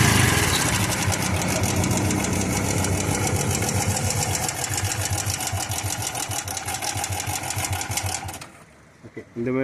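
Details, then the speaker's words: 110cc motorcycle single at idle: fast rattly ticking about four per second over the engine beat until shutdown; worn cam chain must be replaced. "வந்தா கண்டிப்பா game chain கண்டிப்பா மாத்தி ஆகணும்."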